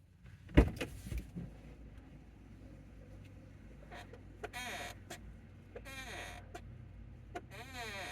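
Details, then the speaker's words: 2019 Chevy Bolt, car off: a dull thud then repeated rising and falling squeaky creaks from a dry door hinge as it swings; similar but not identical to the creak heard when turning right at low speed; owner thinks it needs lubrication. "Now that's just coming directly from the hinge on the door. I should probably just like get that lubricated or sprayed with something, maybe WD-40."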